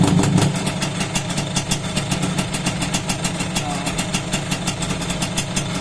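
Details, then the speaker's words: Suzuki X4 with stock exhaust after overhaul including connecting rod work: steady even exhaust pulses at a relaxed idle, no knocks or rattles; quiet, healthy engine. "Mahimik naman yung makina mga kamigaling. Hindi naman natin dinig yung makina nito kasi nga stock. Pero tahimik naman siya."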